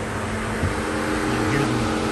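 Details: 2007 Chrysler 300C 5.7 Hemi after overheating fix and coolant bleed: steady, even idle with smooth low hum and cooling fan whooshing, temperature under half mark; engine sounds healthy, normal idle.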